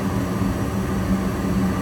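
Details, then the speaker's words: Gas furnace lighting in sequence: inducer motor on, pressure switch closed, igniter glowing, then the gas valve opens and the burner lights to a steady low roar with a faint hum, no puffing or rumbling. Normal burner operation. "We're getting the igniter on. Just a couple seconds. Gas has to turn on. Give a couple seconds. There we go."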